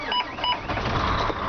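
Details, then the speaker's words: 2007 Volvo VNL64T780 with Volvo VED12 465 hp diesel and 12-speed automatic: a few chime beeps, then the engine starts straight away and settles into a steady, even idle with no misses. Oil pressure comes right up; a normal start. "As you can hear, she purrs, she starts right up, and you can see that oil pressure come right up."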